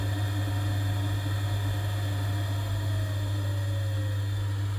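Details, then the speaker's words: Vaillant ecoTEC Plus 637 system boiler that failed to start with F28/F54 (ignition unsuccessful): after fitting a new gas valve, the burner lights cleanly and fires with a steady, even low roar, no popping or flutter; faulty gas valve confirmed. "yeah it was a faulty gas valve as you can see this is what we should be getting when the gas valve opens up and there is Fire or the boil I should say in a bit more technical term"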